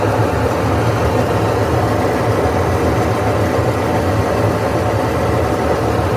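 A loud, steady roar like a distant jet fills the clip as the washer drum turns. Cause suspected, not confirmed.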